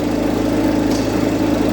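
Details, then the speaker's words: Range Rover Evoque at idle before repair: a fast, uneven light rattle rides over a steady idle at the front of the engine, from the worn auxiliary belt idler pulley/tensioner that is about to be replaced. "She don't sound happy, does she?"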